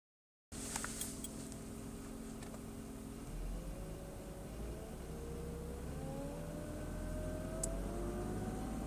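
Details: BMW E36 320i M52: a whine over the idle that rises in pitch with revs; the owner suspects the alternator, loudest at its back when listened to with a screwdriver; cause unconfirmed.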